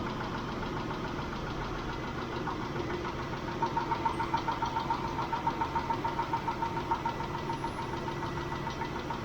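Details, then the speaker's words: Mitsubishi Montero Sport 6G72 V6 idling after about 5 minutes with Liqui Moly lifter additive: light quick ticking of three to four a second; owner suspects only one hydraulic lifter still tapping. "Они всё ещё стучатся . Вернее, возможно, стучит только один раз — слышен лишь одиночный стук."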